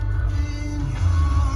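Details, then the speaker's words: Mazda 3 Bose sound system, both front door speakers: music muddy and boomy with rough buzzy bass; speakers blown, voice coil detached from cone, to be reglued. "it sounds like both front speakers are would be you would say they're blown out"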